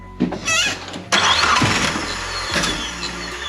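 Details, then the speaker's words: 3G Eclipse Turbo, first start after head gasket swap with Sonata G4JS DOHC head, timing belt, oil change, turbo reinstalled: starter churns in short bursts, never fires; has spark and compression, cause unknown; crank no start. "it has spark for circles you can hear that and it has compression so [Applause] now what's the mystery problem"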